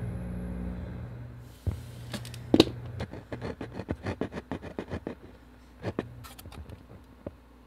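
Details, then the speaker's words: Philips subwoofer, bought used, volume previously cranked all the way up: irregular dull thuds and sharp pops in bursts, coming only from the subwoofer; owner suspects blown capacitors, cause unconfirmed. "but you guys can hear that weird thumping noise and it's only coming from the subwoofer i think it will make a weird thud"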